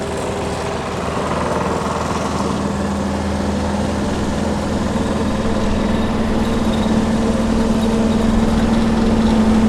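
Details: John Deere 755 tractor running the hydraulic leaf vac material collection system: steady, even engine note with the tone creeping slightly higher, no misses or knocks; normal running.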